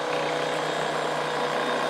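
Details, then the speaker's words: Titan Impact X 120 cordless backpack airless sprayer on Bosch battery, priming the pump out through the hose; steady, even motor-and-pump buzz with a fine hiss and no knocks. Normal priming. "priming the pump now we'll go ahead and Prime out through the [Applause] hose"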